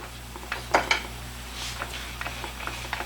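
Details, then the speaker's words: 1986 Mustang GT, replacement low-mileage (75k original miles) World Class T5 transmission rocked by hand: soft scattered clunks of normal gear lash, without the sharp click of the old T5's suspected chipped gear tooth. Normal backlash. "so it has the standards the backwards and forwards sound it would make but not that click so anyways"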